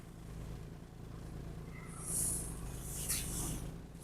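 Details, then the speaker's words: 1995 Mercedes E300 diesel after front and rear brake job; low diesel clatter with slightly uneven lumpy beat while idling in reverse, smoothing on throttle, less rough than before; rough idle. "Still a little rough just idling backwards, but not as bad as it was."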